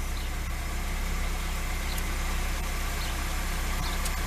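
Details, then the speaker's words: LADA 2102 first start after standing over a year, after cleaning plugs, checking distributor cap and using easy start: steady, even idle, smooth low pulse about 3.5 beats per second, no knocks; runs fine. "let run for about rather up yes she's running I mean how much more can you say I mean over a year it's been stuck there"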